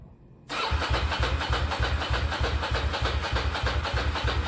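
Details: Ducati Monster with the factory cans cut off and straight-through pipes fitted: it catches quickly, then a loud, lumpy chug about three beats a second through the open pipes; a healthy twin idling without silencers.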